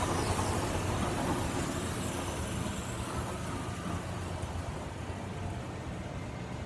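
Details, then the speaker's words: Late-model Grob 4V-36 bandsaw running in low range, gear 2, about 420 ft/min. A steady run with a fast light tick, three or four per second. The blade is straight, but a rough blade weld catches the guides, which look like new. "Blade weld, Yeah, that's the blade weld's not so good, eh? Blade's straight, it's just picking up on that weld, Yep. hitting on the blade guides or something."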